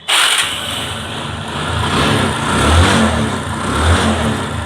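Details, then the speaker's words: Old Bajaj Discover 135 motorcycle: engine catches and runs at rough uneven surging idle; engine sound judged fine but it keeps stalling repeatedly and owner reports high fuel consumption; cause not audible. "ইঞ্জিনের sound ঠিক আছে, কিন্তু ইঞ্জিনের সমস্যা দেখতেছি, বারবার বন্ধ হয়ে যাচ্ছে এবং বাইকওয়ালা ভাই বলছিল তেলও বেশি খাচ্ছিল।"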